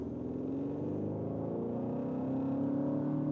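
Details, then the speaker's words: Cupra in Cupra drive mode during agile driving: a smooth tone climbs steadily in pitch with revs in an even layered drone; this is the always-on synthetic engine sound emulation, which sounds artificial. "but honestly doesn't sound so good. In the Cooper mode, it's always on."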